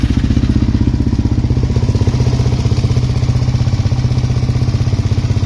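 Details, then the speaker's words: LTZ400 single-cylinder after top-end work: steady thump about four beats a second with a light valve tick, earlier noise gone, revs out well, no smoke; normal idle. "But I don't really hear that noise now. So it sounds pretty good. It's revving out really well. No smoke."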